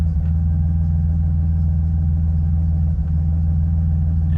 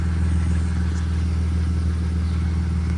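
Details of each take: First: BMW E46 still warm, check engine light on right away: deep uneven idle that hesitates and stumbles, a misfire; code points to camshaft position sensor although a good new one was fitted. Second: BMW E46 petrol engine idles steadily and evenly with no misfire stumbles after a cam position sensor (P0340) fix, regreasing, and a day with the battery unplugged; it nearly died once after a rev but caught itself.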